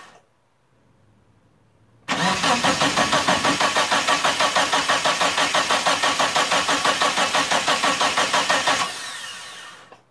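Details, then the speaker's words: Mitsubishi Eclipse GST, sitting almost 9 years, first start attempt: steady starter cranking about three compression beats a second for seven seconds, never firing; no fuel pump priming heard, scan points to fuel pump or its wiring. "so right off the bat uh i don't hear the fuel pump priming"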